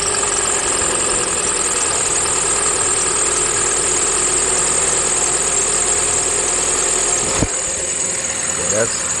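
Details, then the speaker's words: 2011 Chevy Cruze after replacing the PCV oil separator membrane in the valve cover, which had whistled and burned oil: cold start warming up into a steady even idle, light hiss, no squeak or whistle; normal idle. "That's regular. That's just warming up engine noise right there. Listen. There you go. That's smooth engine running right there."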